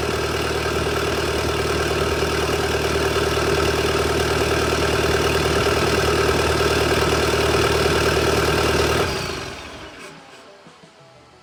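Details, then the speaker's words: Kubota SVL 75-2 diesel, tuned with DPF/EGR delete, first startup with new bigger SVL 97-2 turbo (about 115-120 hp): even chug at steady idle, no knocking or hunting, then clean shutdown; no oil leaks, normal idle. "There you go, boys. That's what it sounds like with the new big turbo on."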